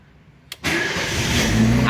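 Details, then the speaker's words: Fiat Uno started after sitting 10 days unused: short crank, catches on the first try without pedal, and settles into a steady, even idle; a clean healthy cold start. "10 dias sem ligar o Uno e Uno pega de boa pega de primeira não precisa est dando barrufada não precisa est acelerando o carro"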